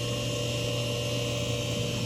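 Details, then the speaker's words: Hayward heat pump pool heater that stopped working, possibly after heavy rain: powers on with a steady low electrical hum and a few fixed tones but no fan whoosh; fan won't turn. "It goes on, but this thing doesn't go round. That's No the fan? problem. No fan. That's the problem."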